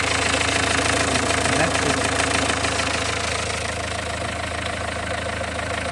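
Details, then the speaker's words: Renault 1.5 dCi diesel warm idle during leak-off test after injector no. 4 refresh with new Delphi valve and nozzle: even, steady clatter, no misses or knocks; no. 3 returns most, no. 4 clean, repair worked. "Car started, running for 2 minutes, and then we observe the fuel return."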